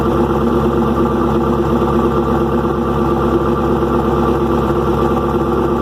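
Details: First cold start of an engine with new lifters and longer pushrods, exhaust loud and unfinished: busy ticking chatter over a rough idle, about two per second. Excessive valve train noise; owner suspects the overlong pushrods.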